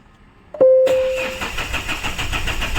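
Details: Mahindra Xylo crank-no-start: short chime, then steady rapid even cranking with no catch; temperature gauge goes high and RPM needle jumps while cranking; later scan gives P0340 camshaft sensor no signal, wiring suspected.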